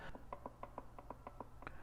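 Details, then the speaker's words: 2019 Polaris RZR Turbo S transmission with Stage 3 gear reduction, pinion backlash reset to the 4th notch per manual: slow hand rotation gives a light even click, no tight spots or binding; normal backlash. "There's just that small little click you can hear in there, but that feels better. I don't feel those tight spots anymore."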